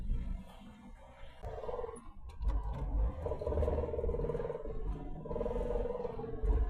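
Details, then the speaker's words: Holden with Hemi and T5 gearbox, under light throttle (silent in neutral): droning, moaning drivetrain whine that persists after tail shaft work. Owner suspects a uni joint, possibly the diff; sounds close to the driver rather than the rear. "exact same [ __ ] noise. So now I'm wondering if it's like maybe it's a uni doing some weird could be a uni joint"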